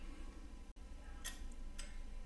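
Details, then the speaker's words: Denon AVR-X2700H receiver under repair, substitute relay soldered on with no audio signal: faint crisp click as relay pulls in, quiet bench hum; continuity confirmed, relay switching normally; poor ground suspected as earlier fault. "okay so I hear the relay physically clicking over now and uh if I check from here to here we have continuity"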